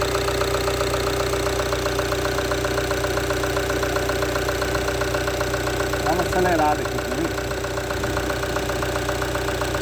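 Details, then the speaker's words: Rampage 2.2 diesel at idle: steady, even light diesel clatter about four knocks a second with no misses; healthy normal diesel idle. "Fala galera, ouve o som do motor diesel da Rampage 2.2. Quem gosta do barulhinho do motor diesel, escuta só na marcha lenta."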